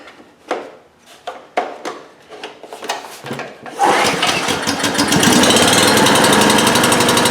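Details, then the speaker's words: Homelite GC1800A 1800-watt portable generator (2008), after opening up the carburetor pilot jet: several pulls on choke, cold start, fires and settles to fast even steady run; previously only ran on choke. "it starts on our first pull it ran reliably for 10 minutes or so"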